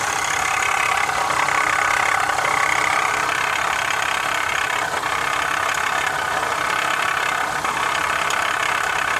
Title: My Honda is making a rattling noise, what could be the issue? #mechanic #2015HondaCRV